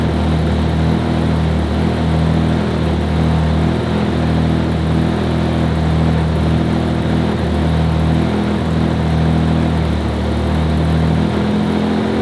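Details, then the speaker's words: RS4 Limo 2.0 four-cylinder, warm start, while the cause of its smoking is being sought: a fairly steady raised idle with only slight wander and no stumbles, running noticeably smoother. "also gute Nachricht ist wie ihr hört läuft da schon deutlich schöner"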